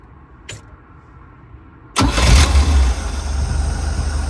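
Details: 250 CID six-cylinder van with new Daytona carburetor, fuel pressure regulator and gauge added for a hot-restart problem, after carburetor reassembly: starter spins briefly, engine catches cleanly and settles to an even, steady idle with no stumble.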